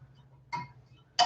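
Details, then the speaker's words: Cylinder head exhaust valve guide test, finger over the guide while pulling the valve out: two crisp, sharp suction pops about half a second apart; a sharper pop means a tighter, better guide, and this one is good. "So all I'm doing is putting my finger over the guide, and that's forcing the air to come around the valve. Right. If it doesn't have any ability to pull air, it'll create a vacuum."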